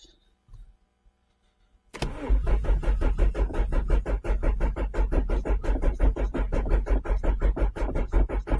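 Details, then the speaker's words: Renault Clio 1.8 16V, cranks but won't fire after sitting a couple of months; steady starter churning about 85 cranks a minute with occasional cough; fuel pump confirmed running, no-fuel suspected, fuel filter to be checked. "no she doesn't want to have any of it so uh I don't want to dead the battery down"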